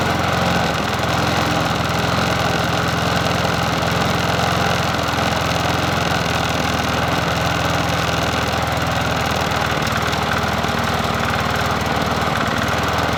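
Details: Bolens 21-inch push mower 11A-B0BL765, a free mower being fixed up, after a new cover and reconnecting the spark plug, on a cool 57°F day: steady, even beat at constant speed with no hunting or misses; runs smoothly.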